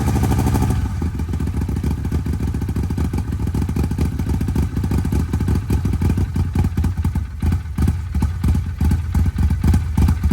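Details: Arctic Cat Wildcat 1000X, traded for non-running with a stripped starter gear and metal shavings in the oil, on its first crank powered from a truck. The starter whirs, then the engine catches into a steady, even rumble without knocking.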